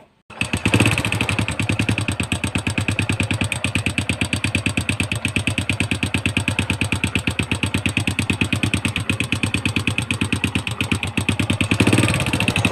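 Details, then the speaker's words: Honda Wave 100 at idle after a loud noise was found and repaired: a steady, even single-cylinder putter with no knocking or rattling. It sounds healthy now. "ตอนนี้ผมได้หาเจอแล้วก็แก้ไขเรียบร้อยแล้วนะครับ"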